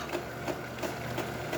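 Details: DeLonghi Perfecta espresso machine after entire grinder replaced (it was not grinding), test while making a cappuccino: even whirring with soft pulses about three times a second, no grinding or straining; new grinder sounds healthy.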